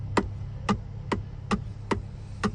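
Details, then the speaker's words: Changan UNI-K: sharp dry clicks about twice a second as the steering wheel is rocked; with the airbag removed, the steering wheel nut was found not tightened, the wheel loose on its shaft. "Вот такой вот в руле стук. Сняли подушку. И по итогу у нас получается у нас получается то, что руль, короче, не прикрученный."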